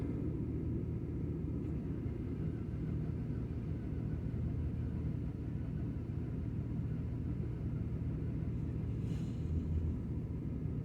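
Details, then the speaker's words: 1979 truck started at 27 degrees after sitting for months, with a water pump leak: low, uneven rumble that never settles; rough running just after the cold start. "and she's just went right on her own oh she's farting a tooting and scooting and rooting"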